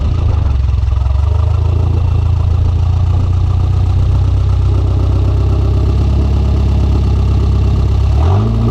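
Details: Conquest turbo (G54B) on a road drive after leaning out on the MAF-T: steady loaded drone suddenly sags and falls away near the end; engine cutting out coming onto boost, fuel pressure seemed to drop, cause unconfirmed.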